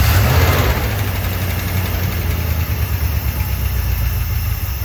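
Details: 1972 Dodge W200 Power Wagon, carbureted V8, first start in years with 20 PSI oil pressure: low, fairly steady idle with no knock or tick; running normally.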